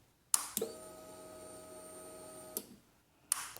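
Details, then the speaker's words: 2006 Honda CBR600RR that cranks but won't start, fuses and near-new lithium battery good, kill switch turned on: sharp relay click, then even pump hum for about two seconds and click off; normal fuel pump prime. "I hit the kill switch you can hear the fuel pump Prime I'll do it again"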